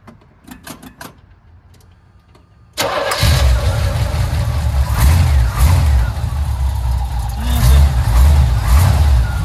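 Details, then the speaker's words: 1989 GMC Sierra with a junkyard small-block 350 V8 of at least 150,000 miles: the starter turns briefly, then it settles into a deep, even rumble with clean throttle blips; runs well, though the owner says about half the power. "she runs good just not as much power I mean honestly probably took it's about half as powerful as it as what it was but still fun"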